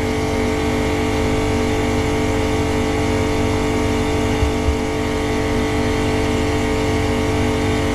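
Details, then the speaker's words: Boat watermaker (desalinator) high-pressure pump building pressure, reject going overboard while the needle valve is slowly closed: steady even whirring hum, no knocking or surging; normal operation under pressure. "Donc on voit que forcément la pompe met en pression, donc c'est rejeté à la mer et puis on va fermer tout doucement la vanne pointeau."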